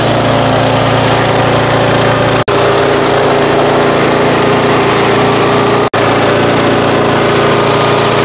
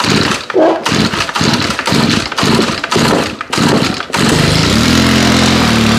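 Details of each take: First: Auto-choke single-cylinder mower, stored 5 months on ethanol-free fuel without stabilizer, about 30°F, started after roughly 30 pulls; owner suspects auto choke caused hard start: steady, even drone at constant speed, no surging or misfires; normal running. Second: FS90R trimmer, cold start at about 30°F after 5 months on untreated ethanol-free fuel, primed with full throttle. Several pulls, then it catches, smokes a lot and sits at a low drone that won't pick up: bogging with choke left on.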